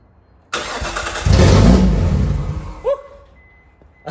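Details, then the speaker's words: Nissan R33 Skyline sedan first start after manual gearbox conversion, exhaust removed; engine catches and roars very loud and raw for about two seconds, then cuts: running with no exhaust fitted. "forgot I had the exhaust off. Alright. It gave me a heart attack."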